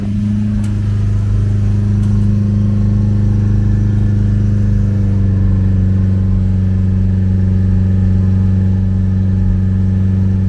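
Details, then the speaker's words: Ford Capri found sitting in a garden, started with a little easy-start spray, listened to from behind at the exhaust: smooth, steady revving with an even, unbroken exhaust beat, no misses, slightly smoky but fairly clean; healthy running. "that's a really even exhaust note that is running really well"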